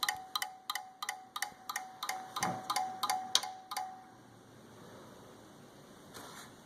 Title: PC Clicking Noise, Lights Flickering